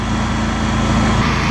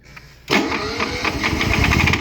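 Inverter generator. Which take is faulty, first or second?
second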